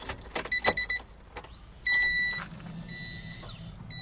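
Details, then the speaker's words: Honda Beat kei sports car, new fuel pump just installed after draining old fuel and refilling with fresh gas: a few clicks, then a thin electric whir rising in pitch for about two seconds and stopping; fuel pump priming normally. "so I'm just plugging this back in just for a second because we have to test to see if it primes let's hear"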